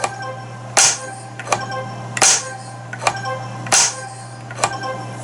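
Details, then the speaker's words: JJP pinball flipper in switch test: crisp, evenly spaced snaps as the flipper fires and drops back, clean release, no buzz or chatter; end-of-stroke switch and flipper working properly. "That makes sure that the end of stroke switch is capable of doing what it's supposed to do in the game, telling the game that the flipper is indeed at the end of its stroke."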